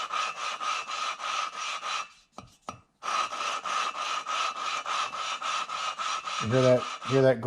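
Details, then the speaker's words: 2009 Hemi 1500 long block build, lapping valves with compound into seats to fix sealing issues: gritty back-and-forth rubbing about twice a second, grinding lightening then coarser after lifting and tapping the valve. "that grinding get significantly lighter and then as I pick it up and tap it it gets more coarse foreign"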